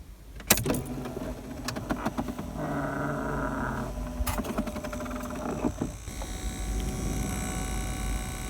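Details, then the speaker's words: Ford Focus 2 cabin air temperature sensor fan motor, removed from its dash grille housing, buzzing in short stretches between handling clicks; noise from dirt in the motor, sensor position and dash resonance. "у меня стоит вентилятор он сосет пыль так вот видно да будет там еще потом подробнее покажу как он жужжит"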